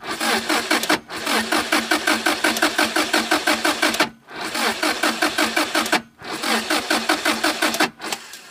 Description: My impreza wont start, it gets gas and i have a spark. New ignition colis.